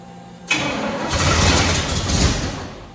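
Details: 1968 Firebird, sitting about 42 years, first start attempts with fuel poured into the carb bowl: fires with a sudden roar, runs unsteadily about two seconds, then dies; owner suspects ignition, cause unconfirmed.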